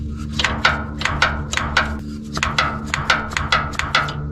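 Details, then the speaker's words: Case 450 dozer revived after sitting 20–25 years, hydraulics and lines rebuilt: sharp clacks about three a second from the valve body over a low diesel idle as the firming brake pedal is worked; brake valve working normally. "Oh, you can hear it in the valve body there, so it seems to be working."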